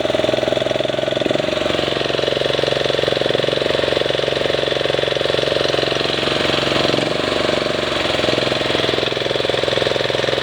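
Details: MTD ride-on mower, deck removed, used as tow motor: small single-cylinder engine running fast, revs hunting and sagging every few seconds; governor linkage seen surging, lots of crud around it.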